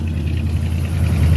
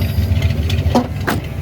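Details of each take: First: Chevy 350 V8 in a 1985 C20 Suburban, just started by screwdriver: steady even low burble with no misses, knocks or ticks; healthy smooth idle, runs like a champ. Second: 350 V8, unrun for years, bypassed lines and makeshift fuel can, new cheap fuel pump: rough uneven burble with no steady idle, then stalls; not pulling fuel, fuel starvation from air in lines.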